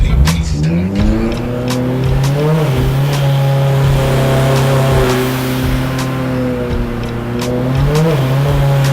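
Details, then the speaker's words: Turbo Honda S2000 on the dyno under load around 3,000 rpm, exhaust restrictor removed, air-fuel ratio correct. The note breaks up with irregular cracks and stumbles: spark blown out by too-wide plug gaps; fixed by regapping and different-heat-range plugs. "the air fuel looks right it's just misfiring"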